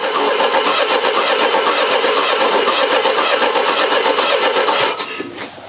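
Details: Mercedes W123 petrol after sitting in garage: steady cranking about 160 turns a minute for five seconds, never catches; good spark but plug bone dry and fuel pump not heard, fuelling issue suspected.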